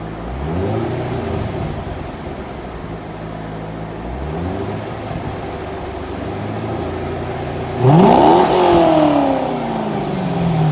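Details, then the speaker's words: 2001 C5 Corvette Z06, about 30,000 miles, bone-stock exhaust before the Magnaflow install: deep even V8 burble at idle, then a sharp clean rev that falls back smoothly. Healthy, normal running. "we're gonna fire it up and see how it sounds at idle give it a few revs and then we'll see what it sounds like when it's uh all finished and complete"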